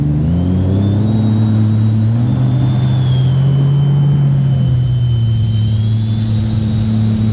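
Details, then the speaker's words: Stage 2 2020 RXT-X 300 and Stage 3 RXP, freshly built, full of gas, on a hot day: steady, strong engine drone with a faint high supercharger whine and no misses or knocks; running well. "all right that one sounds like it's doing pretty good this one's also doing pretty well"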